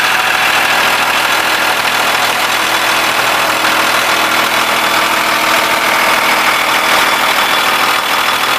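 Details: 2000 Blue Bird All American RE bus, remanufactured 5.9 Cummins 24-valve turbo diesel (215 HP) with Allison MT-643, 176,790 miles, started after grid heater: steady, even diesel idle with hissy top end, no knocks, misses or hunting; healthy normal idle.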